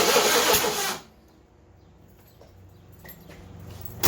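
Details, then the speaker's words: '82 Ford LTD cranking with the battery charger on, after a second carburetor rebuild: loud cranking and catching, then a sharp single pop. It is backfiring on start; the cause is unconfirmed, and bigger engine issues, possibly the head gasket, are suspected. "okay did you see that you saw the backfire i assume that's a bad smell all right so this thing's backfiring"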